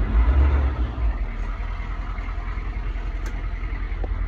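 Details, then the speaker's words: 1986 Chevy K5 Blazer M1009 with new alternator, upgraded fuel filter and rebuilt starter, started and given a short throttle blip: deep, even rumble picks up cleanly and settles smoothly, no knocks or stumbles; normal throttle response. "so let's give her a little uh start see see what she sounds like not bad a little throttle"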